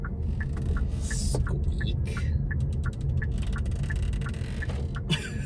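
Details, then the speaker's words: 2023 Hyundai IONIQ 5 single-motor RWD, driving: sharp chirps and ticks about three a second over heavy road rumble from loose passenger-side B-pillar trim, plus steering wheel squeak when turning. "My goodness, this rattling is horrendous. Unfortunately, this IONIQ 5 does have some rattles in it. You can hear that the B pillar on the passenger side is rattling, and also the steering wheel squeaks when I turn it."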